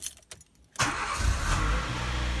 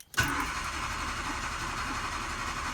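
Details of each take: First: Nissan Micra K11 after a long-crank/hard-start fault was fixed by repairing a coolant leak and refilling the low coolant that affected the coolant temperature sensor: it catches immediately and settles into a steady idle. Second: Nissan Micra K11 cranking over four seconds without catching, a long-crank hard start caused by low coolant from a pinprick hose leak misleading the temperature sensor.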